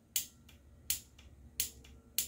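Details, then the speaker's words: EVAP purge valve removed and bench-tested on a small 12 V battery for code P0442: four crisp clicks as power is switched on and off, no sticking or buzzing; solenoid clicks normally, though it later proves stuck open. "you can hear it click on and off that's good"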